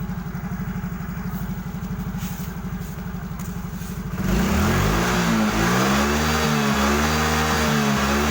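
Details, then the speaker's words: Yamaha Mio J 115cc fuel-injected scooter, after repair of stuttering under throttle (cause traced to injection, injector/pump): starts instantly into an even idle at about four beats a second, then revs cleanly and quickly; smooth, healthy running. "Jadi semuanya berjalan lancar, sangat lancar. Mesinnya langsung menyala dan merespons dengan cepat saat digas."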